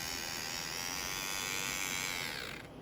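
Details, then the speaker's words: Intermountain N-scale SD40-2 locomotive bought known-noisy, run on track with AC adapter at full throttle both directions; high, raspy whir with rising and falling whine; something rubbing in the drive, cause not yet found; grinding noise when running. "Okay, that's enough of that. Noise. Noise, noise, noise. Definitely have noise. So, let's figure it out. There's obviously something rubbing."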